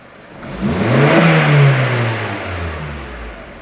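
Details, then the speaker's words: 2009 Honda Civic 1.8 16V after throttle body cleaning and idle relearn (owner complained of high, oscillating idle): engine revs smoothly and settles evenly back to steady idle without hunting or stumble; normal rev and return to idle. "E ele volta para o seu ponto de repouso de marcha lenta ali, ó."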